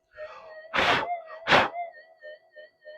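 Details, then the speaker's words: Minelab SD2100 LC oscillator, coil skewed off centre, volume turned up: steady tone with 50 Hz pulsing that wavers and slides in pitch when a hand is waved or air passes over it; oscillator drift. "It's a bit skewed off, but you can hear the way these drift, because it's an LC oscillator."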